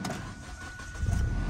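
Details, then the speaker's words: Restart of a Copart auction car whose gas pedal feels stuck and does nothing, though reverse and forward engage: brief crank, catches in about a second, steady even idle; engine solid, and mileage, engine and transmission are its strengths. "right up engine is solid but that's a the mileage the engine and transmission are the three things this car has going for it"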